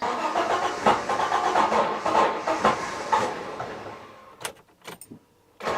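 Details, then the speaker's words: Citroen XM 3.0 24V V6, earlier clip of the intermittent fault: the starter cranks unevenly in lurching bursts, speeding up and slowing down, with the rev counter erratic, then cuts out with clicks. The cause is suspected, not confirmed; irregular cranking speed. "That every once in a while, when I try to crank it, it cranks at a different speed, and the ref counts is all over the place."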